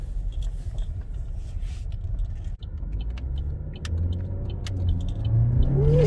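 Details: 2011 Chevy Cruze 1.8L after repair of coolant in wiring harness from melted thermostat heater, road driving: deep rumble building smoothly as revs climb, no misfire or stumble; normal acceleration, good fuel trims, no codes.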